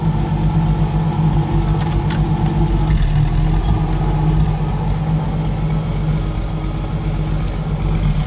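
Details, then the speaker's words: 1958 Chevrolet Biscayne survivor, 235 CI inline six, automatic, under 40,000 original miles, idling in gear with brakes held; steady, even low rumble, holds speed, no knocks or misses; normal idle. "Give it a little rev. Nice."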